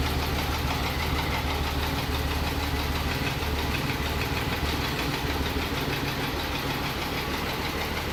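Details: Mercedes M104 engine after major overhaul, second start: steady idle with a light repetitive tapping about three per second riding over the engine; engine knock, cause not pinned down.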